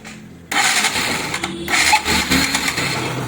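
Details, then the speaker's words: Bajaj Pulsar NS200 after new timing chain, head gasket and valve clearances set (intake 6, exhaust 8), fuel tank not yet fitted: engine settles into quick busy patter, slightly uneven from fuel supply, no knocking, no coolant thrown; healthy. "तो engine की sound भी आप engine की sound भी सुन सकते हैं, बिल्कुल silent है। एक बार साइलेंसर को मैं बंद कर देता हूँ। ये देखो गाड़ी में कोई साउंड नहीं है।"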